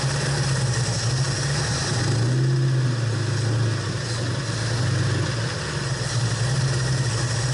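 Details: Ford 390 FE V8 in a 68/69 Torino GT after a fabricated distributor points plate was fitted, dwell possibly off: deep idle wavers and stumbles, speed drifting; owner suspects a valve problem and timing.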